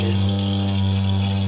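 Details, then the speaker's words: Toilet cistern refilling: a loud, steady low drone of constant pitch with no pulsing. The fill valve washer is found stretched and misshapen, and it gets replaced. Fill valve humming from a worn washer. "I've covered this before foot but for those of you that don't know if you've got a sound like this"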